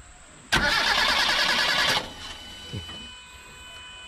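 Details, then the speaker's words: Proton Wira hot-stall no-restart: the starter spins the engine briskly about 1.5 seconds with no firing; a hand touch on the plug lead gives no shock, so there is no spark despite fuel present, caused by a faulty crankshaft position sensor. "Okey, biasanya kalau dia ada api, saya mesti akan rasa dia punya current. Tapi ini memang tiada current, Bro."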